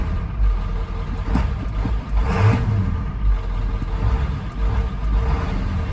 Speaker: it's missing and it's worse than that